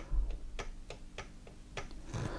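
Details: Chaika sewing machine (Podolsk, model 142) knocks and skips zigzag stitches: six sharp, dry clacks about three a second as the connecting rod head is rocked, showing about 0.5 mm play on the crank shaft.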